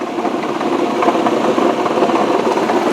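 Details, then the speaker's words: 2005 Ford Freestyle SEL with a check engine light for a fuel rail code: a loud, fast, sharp metallic knock at idle in park. The owner believes it comes from the transmission, not the engine, and it goes away in drive; the cause is unconfirmed. "all right now I know you're all curious as to what that noise is because it's pretty loud here's the thing that noise is actually coming not from the engine but from the transmission and interestingly enough when you put this car into drive that noise goes away"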